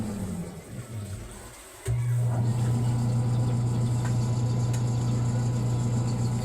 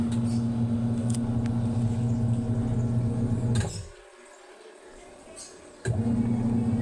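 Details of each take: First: Single-tub washing machine motor, drained and running empty: starts with a thump, then a steady even hum; sounds fine unloaded but stalls after a few minutes with water and clothes, blamed on a weak run capacitor. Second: Single-tub washing machine that kept stopping, especially when loaded with water, after replacing the weak capacitor and the belt: steady low motor hum, spins up strongly, stops and restarts cleanly without bogging; washer motor running healthy.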